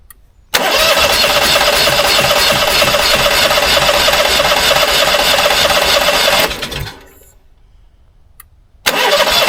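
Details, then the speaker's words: Onan 5500 RV generator, 15 years old, unused at least 6 years with bad gas: about six seconds of steady starter cranking that never fires, cranks but won't start; owner suspects fuel lines drained, air in the line. "I think that's what it was way too much air in the line well air in the line's not good any air in the line is too much"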